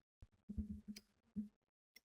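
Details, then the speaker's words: Relay on crocodile clamps driven by a development board, toggled 1 second on, 1 second off: crisp single clicks about a second apart among bench handling thumps; relay switching normally. "We can hear the relay already clicking."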